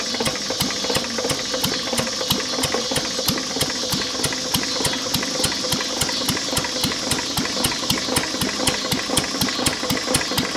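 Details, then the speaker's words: Lister throttle-fed single-flywheel engine, believed 1920s–30s, with magneto, idle set low; block also cracked with water in the oil: a slow idle with a sharp, loud metallic knock on every firing beat, a worn rod bearing awaiting replacement. "that was our liser I mean besides the rod knock and in need a paint it actually is a good running motor"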